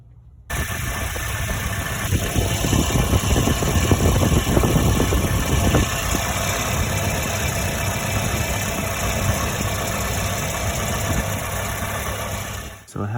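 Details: 1985 Volvo 245 with a stock B230F and LH2.2 injection, no OBD: uneven, lumpy, loping idle. Cylinders 1 and 2 ran cooler in a water spray test despite cylinder 1 getting spark and injector signal. Rough idle misfire from clogged injectors.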